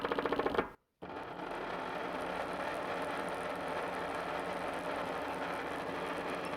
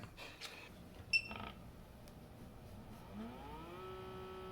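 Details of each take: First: 120-125 W brushless motor driving a Morse taper 2 grinder spindle via 3D-printed pulley and pulley-stock gear, sitting on glass: rough, chattering run with rapid rattly pulse; mismatched belt profile makes the toothed belt skip teeth. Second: Cutter grinder spindle (Morse taper 2) belt-driven by a 125 W brushless motor via 3D-printed gear, after fixing a loose set screw and skipping belt: clicks, then smooth rising whine settling steady; normal running, though torque seems insufficient.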